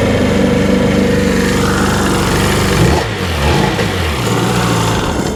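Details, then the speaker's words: 2003 Sea-Doo RXDI, new starter just fitted: ragged, uneven drone whose pitch sags and wobbles midway, running in limp mode; owner wonders if spark plugs are fouling, low-battery startup error also shown; rough running, cause unknown. "It's in limp mode. I wonder if those spark plugs are fouling."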